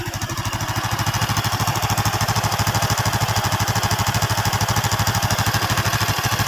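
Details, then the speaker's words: Honda Revo single-cylinder engine at a crisp, even fast idle with no knock, smooth and normal again after the collapsed connecting rod and the piston were replaced. "di sini sudah mesti sudah halus sudah normal kembali setelah pergantian stang dan piston kita ganti sekalian"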